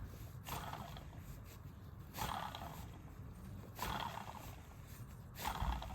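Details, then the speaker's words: Fiat 500 Pop with noisy engine bay: alternator removed and spun by hand gives a rough gravelly growl in bursts; worn alternator bearings. "you can hear that the bearings are buggered."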